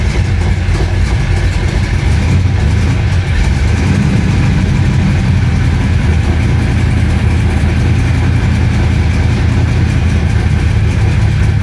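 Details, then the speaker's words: Flooded 1966 Chevy Impala V8 after full fuel system replacement, held on throttle: lumpy, unsteady, struggling; dies immediately off gas, won't idle; owner says not fuel related, suspects cam swap swapping cylinders 4 and 7. "you let off gas it dies immediately immediately if I hold my foot on the gas she'll run not happily but she'll [Music] run"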